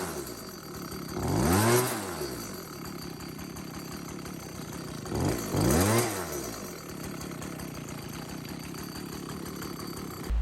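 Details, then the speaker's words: Stihl BG86 two-stroke leaf blower revving: harsh loud metallic rattle; three loose bolts behind the flywheel are striking it, found after removing the starter assembly. "that's the flywheel i'm spinning there and there's three bolts behind the flywheel that are interfering with it and that's what makes the loud metallic noise"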